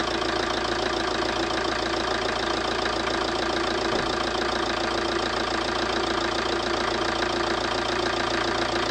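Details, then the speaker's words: Ford Transit Connect diesel just after replacing the injector seals: starts straight away and idles with a steady, even clatter, no misses or knocks, running smoothly with no leaks seen. "as you can see it's running running quite smoothly seems to be all right doesn't seem to be any leaks"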